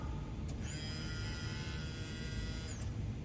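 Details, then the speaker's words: Subaru Impreza WRX with a new fuel pump fitted after the old one would not run despite 12 V at its connector; microphone low near the pump: steady electric whir for about two seconds, then a clean wind-down. Normal priming. "but the new pump kicks on which the old one didn't"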